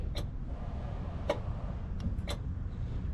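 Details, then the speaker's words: 2007 Chevy Express with code P0449, where the canister vent valve and PCM were already replaced: the vent valve gives sharp single clicks about a second apart as a scan tool commands it on and off; EVAP canister vent valve clicking normally. "Do you hear that? That's the vent valve clicking."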